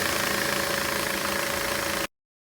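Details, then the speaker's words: 2014 Toyota Corolla petrol engine idling smoothly and evenly after engine mount replacement; the loud rattle/vibration from worn mount rubber bushings letting metal hit metal is gone. "all right guys here we go no more noise"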